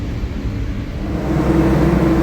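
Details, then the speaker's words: Carrier Transicold reefer diesel unit after replacing high speed solenoid (codes P145, A38, A71, blown F2/F3 fuse) during pre-trip: climbs smoothly from lower to loud steady high speed, no knocks or misses; high speed working, starter circuit issue remains. "the high-speed is working at the salon right now as you can probably hear it's very loud but it's running is what it is"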